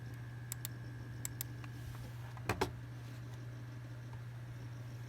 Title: bruh my mouse makes my pc have weird noise